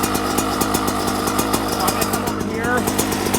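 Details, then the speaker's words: 2024 Yamaha YZ125 two-stroke after jetting changes (162 main jet, pilot jet dropped to 55): crisp quick popping held steady at idle, slightly faster than just-barely idling; idle speed set slightly high, adjusted via idle screw. "so right here you guys I'm listening to my idle to me it sounds like it's a little"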